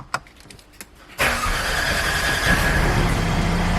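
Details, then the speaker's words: Mercedes that was a crank-no-start for 12 months, started with the relay manually given a ground: a couple of relay clicks, then it fires right up into a steady even idle. Normal start. "and sure enough the car fires right up"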